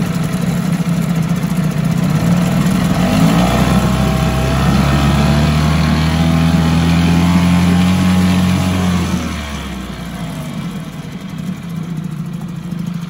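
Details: 1974 Mercury 4 hp single-cylinder two-stroke outboard, revived after sitting a long time, first test run after fueling: smooth steady low drone rising slightly with throttle and settling back, no misses or knocks; runs like a top, normal running.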